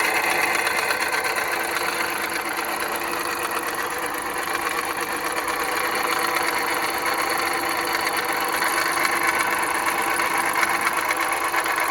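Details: 2010 Jeep Patriot Sport 2.0 at steady idle: tinny metallic clatter, about three light knocks a second; power steering pump replaced without cure, pulleys suspected; alternator replacement fixed it.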